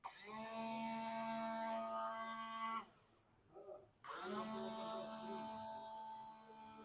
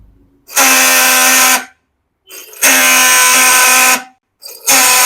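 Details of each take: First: Yamaha R15 V4 starter motor after repair of its cut bush, bench-tested with direct connection: two bursts of smooth steady whirring spinning up and down cleanly, no krak-krak clacking; normal starter operation. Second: Yamaha R15 V4 self-starter tested off the engine with pinion disconnected: three one-second runs of harsh rattling "kra-kra" whir; mechanic suspects worn/cut starter motor bush letting armature wobble, not broken one-way clutch or bearing.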